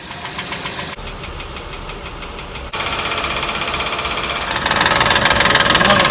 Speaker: estas picaduras suceden por una pequeña holgura entre el árbol y el balancín esta pequeña holgura con la velocidad de rotación se genera un golpe frecuencial que va desgastando la superficie del árbol